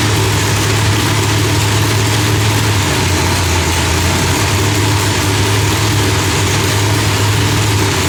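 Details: Loud, lumpy but steady idle from a big supercharged V8, no backfires or pops, firing cleanly after the distributor trigger was changed from rising to falling; timing was about 6° off; new heads, idle not yet fine-tuned.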